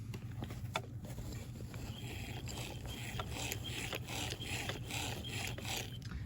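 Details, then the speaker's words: Spinning snowflake snowman decoration during restoration, disassembled: scratchy plastic squeak repeating about twice a second as the arm turns; spinning arm mechanism found completely dry with no grease, needs greasing; square shaft also suspect. "i got a big old tub of grease and this is it sounds awful trying to figure out what is going on with the uh square shaft"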